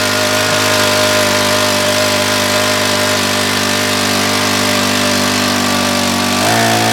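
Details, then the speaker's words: Honda WX10 water pump, about 10 years old, running after repair and priming the engine with gasoline: loud, steady drone with an even beat, no misses or knocks; engine runs smoothly and holds speed. "there it goes well that shouldn't take too long to fill that up you might have to gas it up once before we get it finished filling up but it's working now"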